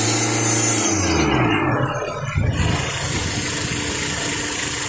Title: SELTOS IDLER NOISE AFTER ACCELERATION